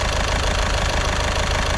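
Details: VW Caddy diesel at idle after injector removal and repair, no engine management lights: steady, even idle with light regular clatter, no knocks or misses; smooth and quiet.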